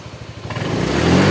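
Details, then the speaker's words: Honda Vario 125 scooter after a radiator repair, with the engine otherwise smooth. A quick light tapping sounds at idle and rises with throttle, coming from worn CVT roller clips left unreplaced to keep costs minimal. "untuk bunyi tok tok tok tok tok itu di bagian klip rollernya kita enggak ada penggantian di situ"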